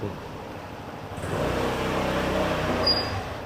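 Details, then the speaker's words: Suzuki UY125 scooter, new bike with 1,062 km, squeaking since new with original rear brake pads: short high-pitched squeal near end of stop under low engine and road rumble; rear brake squeal, pads to be replaced with upgraded ones. "每天晚上只要我骑这辆车进小区，全小区的人都知道我回来了。哎，就是那辆后刹车响的UY它又回来了，新车就响，"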